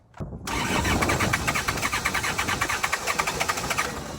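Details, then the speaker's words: Diesel tractor that ran out of fuel, being bled with fuel welling at injectors: steady cranking with uneven puffs as cylinders almost catch then fade; air still in fuel lines prevents starting. "hey that is a huge victory for me but for most people who have any diesel experience that's probably one of the easiest jobs you can do"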